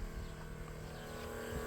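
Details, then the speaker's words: 1987 Chevrolet V10 with a newly installed Carter electric fuel pump: key on, engine off, a steady faint electric whir as the pump primes normally. Little fuel was seen at the lines afterward. "We're going to see if we can get uh the pump to prime itself. So, let's let's see how this works out. Should be able to hear it."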